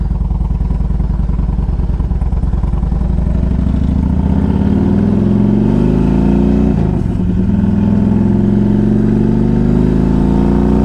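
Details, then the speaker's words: 2003 Harley-Davidson Electra Glide Ultra 100th Anniversary, 12,623 miles, idling: tinny buzzing vibration over lumpy V-twin idle because front exhaust cover is missing its clamp and vibrates against the exhaust. "it's like a it's like a tinny sounding vibration the uh the front piece of the exhaust cover is missing a uh the clamp so it kind of vibrates against the exhaust"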